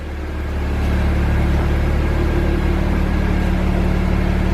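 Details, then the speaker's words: 2008 BMW 335i (E90) after replacing EKPM2 fuel pump control module with EKPM3 to cure long cranks: warm engine settles into a smooth, even idle with steady low hum, no misses or ticks; healthy. "it's actually being a really cheap car to keep on the road so car is steady idly warmed"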